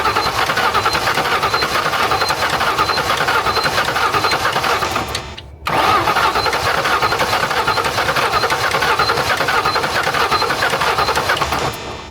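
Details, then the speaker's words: 1997 Ford Mustang GT, V8, 5-speed manual, sitting unused for months: starter cranks steadily for several seconds, stops, cranks again, but the engine never fires; crank no start, cause not confirmed. "Okay, no luck, and we need to get this in there, so we are going to push this S-Box with this S-Box."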